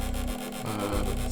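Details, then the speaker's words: PS2 DVD drive reading a disc: dry rasping rub with quick pulsing rhythm over low drive hum; fault in the lens sled mechanism, not the lens; fixed by greasing the rails. "grince et donc il y a un problème dans le mécanisme il y en a beaucoup qui pensent que c'est la lentille mais ça n'a rien à voir avec la lentille c'est le mécanisme de la lentille c'est pas la lentille d'accord"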